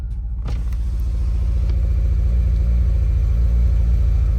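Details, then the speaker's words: 10th-gen Civic Si L15B7, cold start after a week, with new fuel injectors and spark plugs, owner suspects head gasket: uneven bubbling idle with a stumble about three times a second; misfire on cylinder 3. "Misfire cylinder 3. Brand new fuel injectors, brand new spark plugs."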